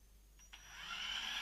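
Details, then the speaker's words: Losi XXS RC car with a brushed motor: on the tiniest throttle input the speed controller squeals thinly while the car still pulls away smoothly; normal brushed pull-away. "And you'll notice if I apply just the tiniest fraction of throttle, ever so slightly, it still moves away smoothly. You can hear this speed controller squealing as it's trying to get something through with the tiniest little input."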